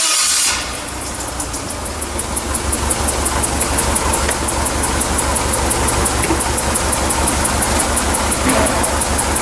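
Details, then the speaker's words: Yale forklift with Mazda FE engine, during a running compression test: starts promptly and settles into a steady, even idle with no misses or knocks. The compression waveform is symmetrical, though owner suspects carbon on the intake valves is lowering compression. "the tower seems to be symmetrical, so I see no problem there. And it started up good."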